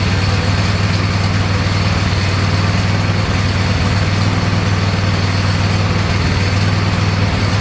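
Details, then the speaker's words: Neglected Cub Cadet lawn tractor just fitted with an Amazon knockoff carburetor, started after a little choke: a steady, even low thrum with no misses or surging, sounding much better than with the old carburetor: normal running. "Well, it don't sound too bad. It sounds much better than the old carburetor."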